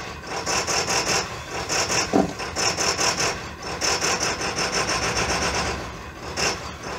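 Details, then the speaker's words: 2000 Ford F-450 DRW, 7.3 PowerStroke diesel, cold start after cycling glow plugs three times, window open: hard rhythmic clatter pulsing unevenly, normal rough running before it settles to idle. "so usually the coach starts I cycle my glow plugs about three times before I start the truck"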